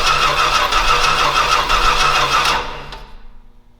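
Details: Old Stewart & Stevenson aircraft tug huffing air while cranking: the starter churns at about three uneven chuffs a second, never catches, then winds down; low, uneven compression.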